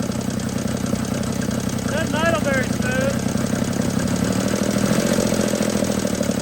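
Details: 1950 DeSoto Custom club coupe's old six, sitting since fall 2019, restarted on a temporary fuel tank line to the carburetor. Low, uneven idle with stumbling, irregular beats under exhaust drone; rough idle, not very smooth.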